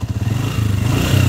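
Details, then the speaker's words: Honda TMX 125 Alpha motorcycle engine: fine at idle, but when revved the exhaust beat turns harsh with a clattery rasp over the firing pulses; engine rough under throttle. "Itong motor naman ni bossing, pag naka-minor goods, pag nirebulasyonan mo, yun, nagagalit yung pusa."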